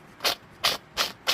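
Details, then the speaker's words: Exmark/Toro 48" zero-turn mower, transmission drive pulley spun by hand after removal: four harsh, gritty, dry rasps, one per spin. The bearing is dry and worn; the owner heard the noise underneath at engine start. "Si sientes ese ruido a la hora de arrancar el motor, quiere decir que los pulis de la transmisión están malos."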